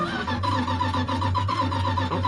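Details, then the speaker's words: Old Dodge Power Wagon bought sight unseen, fire test during a winter storm: starter cranks with a lopey, galloping beat, some compression strokes weaker than others. Cranking to build oil pressure; the cause is not yet known. "not bad little bit of a [Laughter] Gallop I'm going to just crank it over for a little bit to build up some oil pressure"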